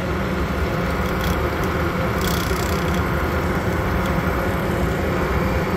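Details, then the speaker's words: RV propane furnace mounted under the refrigerator: loud steady rushing roar from the blower, owner calls it the loudest furnace he's had; return air register opens directly to the furnace, with uneven duct airflow. "one it is Extremely Loud this is the loudest furnace I've ever had"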